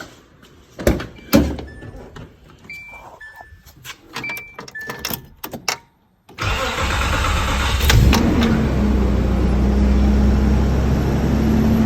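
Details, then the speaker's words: 1995 Nissan D21 V6 automatic after replacing a slow-cranking starter (new battery hadn't helped): quick, even cranking catches and settles into steady idle; spins over much faster, old starter was the problem. "well guys as you can hear that thing spins over way faster than that other old starter and that was definitely what the problem was with this truck"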